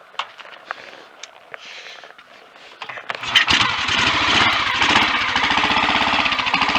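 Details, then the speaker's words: Royal Enfield Bullet 500 Electra X (AVL), completely cold start before a test ride: a few clicks, then the single catches and thumps about four beats a second, slightly uneven; won't tick over until warmed up. "As you could see in my last video, I set it so it would tick over, but it needs to warm up a bit before it will."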